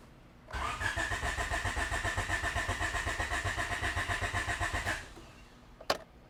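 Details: B17-swapped EF hatch, starting fluid squirted: the starter cranks steadily at about 230 beats a minute for four seconds and never catches. The fuel pump had run and pushed fuel from the filter, yet there is no fuel; the cause was swapped injector wiring.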